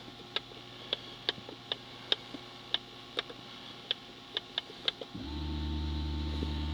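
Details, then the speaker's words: 2005 Dodge Grand Caravan with ABS light and pump motor circuit failure code, pump commanded on via scanner: light ticks, then at about five seconds a steady low hum holds evenly; pump now runs, which it could not before. "So, pump's running. Couldn't do that before."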